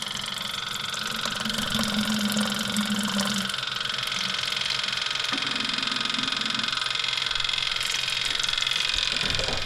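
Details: Small 12 V transfer pump powered by a Milwaukee battery, draining three-year-old varnished gas from a 610 skid loader during its repower: a steady, fairly high buzz, constant with no stutter or labouring; normal fuel pump operation.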